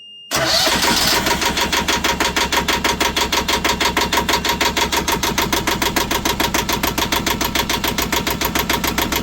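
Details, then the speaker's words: Boat engine cranking after a new fuel filter was fitted, replacing one full of contaminants; bleeding with the bleeder had failed. The starter cranks evenly at about three beats a second and never catches, with a big air bubble suspected somewhere in the fuel system. "I'm gonna call that okay. No, you're not. There's a big giant air bubble."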